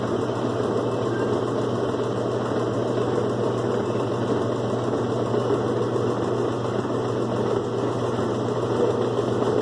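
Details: 2005 Kenmore 70 Series direct-drive washer on slow spin: even droning hum with a rough, slightly rattly edge; water/drain pump suspected noisy, believed dirty inside.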